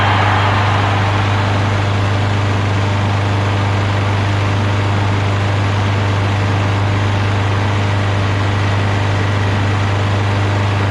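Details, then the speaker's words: Craftsman push mower after draining overfilled oil, cleaning carburetor and clearing debris from the air filter base canal, rpm adjusted: steady, even single-cylinder drone with no misses or surging, previously smoked badly and ran rough. Normal running. "so as you can see much smoother so it was just a little bit of debris in the canal of the air filter base so that air and fuel flows freely through that area now that runs very smooth"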